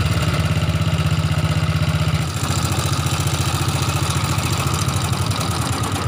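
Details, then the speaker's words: Old Honda Supra motorcycle with white exhaust smoke and a rough sound around the cylinder block and head. A fast, uneven idle with a rough metallic rattle on every firing pulse; owner suspects piston wear from infrequent oil changes. "masalahnya motor ini bersuara kasar Hai bunyi kemricik disekitar ini blok seher dan Silinder Kop"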